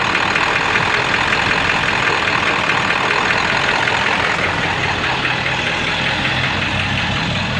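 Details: 7.3 diesel rough runner with no power, switched from high idle to street mode: loose uneven knock about two or three a second through clatter, owner says sounds like rod knocking; puffing raw-diesel smoke, EGTs good, cause unknown.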